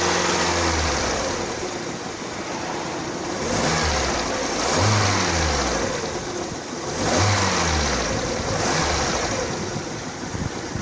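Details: Lada Kalina 2 hot petrol engine at about 90°C, revving in waves under load. A light fast ticking gets louder as the throttle opens and does not occur cold. It was suspected as lifter knock, but was found to be the alternator belt, which was replaced.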